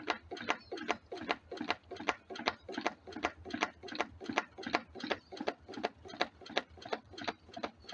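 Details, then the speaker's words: DIY wood-fired rocket-stove Stirling engine generator Mk4, on a rebuild after a hot-side seal blew out: sharp, even knocks about 2.5 per second like a bouncing ball; the natural rubber hot-side seal is slapping the swing arm. "the first thing it's noticeable is the noise of the uh silicon seal U the natural Rubble one almost sounds like a ball bouncing also we've got a bit of a uh I think it's hitting the swing arm as well which doesn't help the situation"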